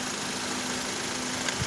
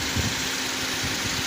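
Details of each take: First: Idling engine with air conditioner on: light, quick rattle about three ticks a second from the belt tensioner pulley, which stops when a screwdriver is wedged against the pulley; confirmed worn tensioner pulley, to be replaced. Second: Engine idling after belt auto-tensioner pulley replacement to cure a rattle that occurred with AC on, tested with AC off and then on: even, steady idle with no rattle or chatter; normal.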